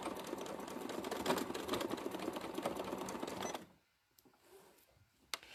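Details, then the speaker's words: Sewing machine free-motion quilting with the darning foot set too high: a screwdriver fits under it. Fast, uneven clatter about two strokes a second while stitching, stopping when the machine halts. The fix is to loosen the foot, lower it and retighten. "now it's making that noise because the gap between the fabric and the foot is too much"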